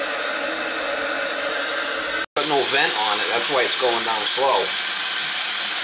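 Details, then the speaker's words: Kitchen sink drain after basket strainer replaced, sink filled and dumped: steady rush of draining water then irregular glugs and sucking gurgles as air is pulled through the trap, which has no vent to outside. "there's no vent see how it comes up that's what they call a forest route that should be going off in the wall and then venting outside"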